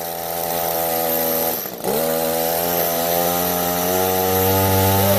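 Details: Echo SRM-266 trimmer started on choke; after a brief stumble it holds a steady, even two-stroke buzz with no misses, running normally.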